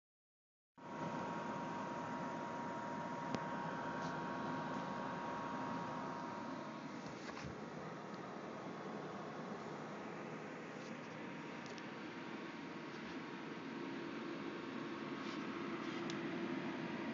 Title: Noisy cpu fan